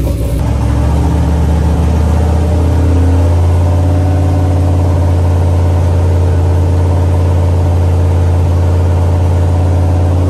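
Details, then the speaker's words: Chevrolet C10 with a 5.3 V8 long block owned 20 years, first start: after the catch it settles into an even, steady low rumble with no knocks or misses; normal idle. "yep 20 years to hear that sound okay we made it"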